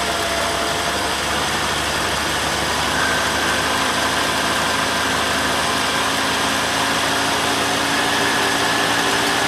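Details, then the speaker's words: Ford Falcon just started after sitting all winter, fuel cell: loud engine with a slightly uneven, unsteady beat; rough running at first, owner blames the winter sitting. "well I ran a little rough at first but can you blame it been sitting all winter"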